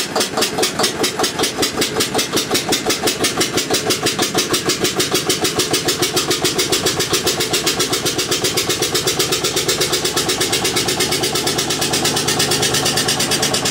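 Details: Witte single-cylinder diesel generator, unstarted 45 years, refilled with water and three gallons of oil: steady even chuffing about seven pulses a second at constant speed, running smoothly; generator gives only about 2.5 V across brushes instead of ~64 V.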